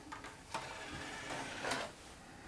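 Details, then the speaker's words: Xbox One S Blu-ray drive bought with disc drive reported not reading game discs or DVDs (digital games fine); game disc loads with faint clicks and a brief whirr, then no spin-up hum; drive tries to read but disc doesn't spin up. "it takes the disc okay it can't sounds like it's trying to read the disc but it's not actually spinning the disc up and then nothing at all so normally you get the whirr of the disc spinning but I'm hearing nothing at all"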